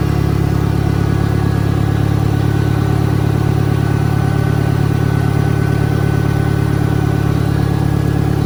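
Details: 1963 John Deere 1010, original and properly maintained, 1,000 rpm, on a backyard lap, needs valve seals; steady low drone pulsing about three and a half beats per second with smooth, regular gear hum. Normal transmission gear noise.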